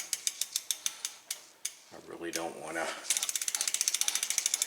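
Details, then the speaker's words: Trek Navigator 2.0 mountain bike, 15+ years old, after new tires, tubes and chain and wheel reinstallation with pin fully seated; crisp even freewheel clicks as wheel coasts and respins, no scraping; normal, little or no rubbing. "so once i got that done everybody's happy and it's not rubbing or if it is it's very little"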